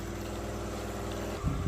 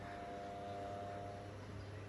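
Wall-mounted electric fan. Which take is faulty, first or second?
first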